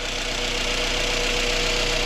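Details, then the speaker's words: 2017 Jeep Cherokee Trailhawk 2.4, 89k miles, engine running with a new replacement alternator after a charging failure. Steady engine-bay hiss with a faint constant tone, no whine or bearing grind. New alternator is quiet: normal alternator operation. "Let's go on and step up this way. New alternator seems to be quiet."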